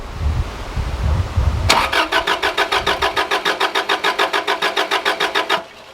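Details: Subaru Liberty RS AWD turbo manual parked for 10 years, fresh fuel and fuel pump heard priming: starter cranks at a steady chug, about three and a half turns a second, for four seconds but never catches. Owner suspects head gasket or fuel delivery; unconfirmed.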